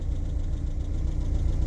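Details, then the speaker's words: 1994 Renault Twingo Phase 1 at idle after oil change, air filter refitted and intake clamp fitted: even low pulsing thrum with no stumbles, running like clockwork but idle speed slightly high; idle adjustment screw needs turning down a little. "Écoutez-moi ce petit bruit, c'est un rêve. Elle tourne comme une horloge."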